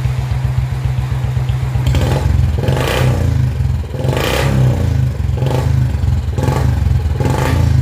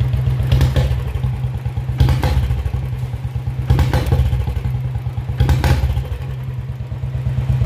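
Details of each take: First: Royal Enfield Bullet 350 BS4 with misfiring problem, after fitting BS3-type spark plug in place of BS4 plug: steady thumping single-cylinder beat with even rumble and throttle blips, no stumbling; running clean. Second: Royal Enfield Bullet 350 BS4 that dies with a little throttle: single-cylinder thump with irregular stumbles and clattery bursts roughly every two seconds; misfiring, and the CDI ignition unit is at fault.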